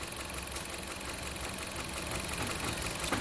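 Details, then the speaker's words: 2015 Jeep Patriot, P0304, warm engine at idle: uneven, loping pulse about four beats a second from a hard misfire on cylinder 4; coil swap ruled out, low compression suspected, compression check pending. "Well, running it now, you can hear it misfiring."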